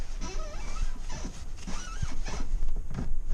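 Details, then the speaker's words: Honda Civic, 170,000 km, steering column damaged in a theft attempt and being straightened: squeaky scraping rub rising and falling as the wheel is turned, engine off; rubbing suspected inside the steering column, not confirmed. "well I still have that rubbing sound which must actually be coming from inside the steering"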